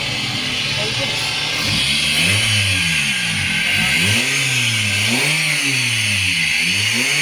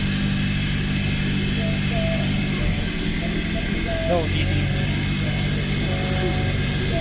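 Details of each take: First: Suzuki Swift Gen 1 petrol engine after replacing the VVT solenoid for code P0011 (timing over-advanced), misfire and high idle: clean revs settling to an even normal idle, with the fault code cleared. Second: Suzuki Swift Gen1 petrol engine with code P0011 (timing over-advanced): steady, slightly fast idle with no misses after a new surplus VVT solenoid was fitted; idle still set too high.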